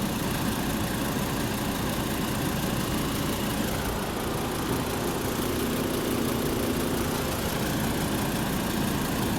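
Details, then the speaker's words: 2012 VW Beetle 2.5L with no AC, after repairing three broken wires and topping up charge to 150 PSI: steady idle with even hum and whoosh, no squeal or rattle; AC blowing cold, normal operation. "I think that'll be ideal right there 150 PSI is good nice and cold perfect"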